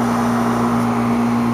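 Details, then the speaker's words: HVAC condenser unit starting up on a service call, with about 75–80 °F outside: steady, even mid-pitched hum with no knocks or rattles while pressures settle; normal compressor running. "now okay she's up and running now pressure settling out"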